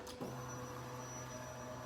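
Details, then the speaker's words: Kawasaki Vulcan Nomad 1600 at key-on, after fuel pump troubleshooting and trimming and reseating all four spark plug wires: faint, steady, even-pitched whir. Normal fuel pump priming. "We've got fuel injection noise."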